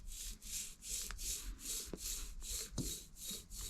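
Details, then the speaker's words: 2004 JDM Subaru Legacy GT-B grinding mainly when turning left: with the axle removed, the wheel bearing spun by hand sounds gritty, full of sand, and doesn't spin freely. No howl or vibration; faulty wheel bearing. "so i went ahead and removed my axle so i could just spin the wheel bearing and sure enough the wheel bearing is faulty um it sounds like it's full of sand so"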